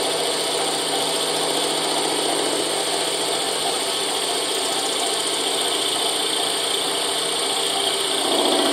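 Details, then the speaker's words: Boring a Moto Guzzi 250 TS swing arm worn by loose bushes, power feed on: steady high chattering cut grows louder near the bottom as more metal is taken, possibly beyond where the original bush sat or from original machining; not confirmed. "Okay, you can hear the cut increasing at the bottom there. That will be beyond where the original bush was pushed in, or something to do with the original machining."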